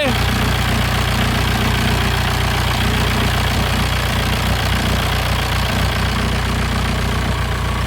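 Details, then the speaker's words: Passat B4 diesel after full engine rebuild, head off, first start: firm, steady diesel idle with even clatter and no stumbles or odd knocks; running healthy, though owner suspects N75 valve or leaking intercooler boost leak. "well there you have it y'all see the live again she's a runner"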